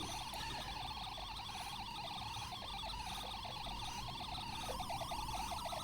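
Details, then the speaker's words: Homemade tape drive (Tapeshnik) with newly installed R/W head, 9 V supply, playing a test tone at turbo speed: tone warbles fast and unevenly like a siren, about three times a second. Unstable tape traction velocity, heavy wow and flutter. "If I were to record audio, obviously it would not be very serviceable. For data, there is a variation in momentary ta"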